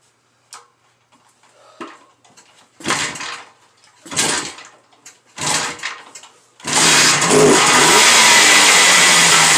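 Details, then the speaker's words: 1976 AMF Harley-Davidson SS 175 two-stroke, rough with haphazard wiring: several kick attempts, then it catches on choke and holds a raspy high-pitched run; normal cold start. "But Xander did get this bike running, so let's go ahead and hear it. Alrighty, this bike is a two-stroke, so that's why we got the door open."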